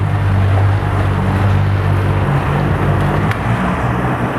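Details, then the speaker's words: 1992 Mercury 50HP two-stroke outboard idling, shifted through reverse: low, slightly uneven burble, running a little rich; popping noted. "reverse, so she's running a little rich right now."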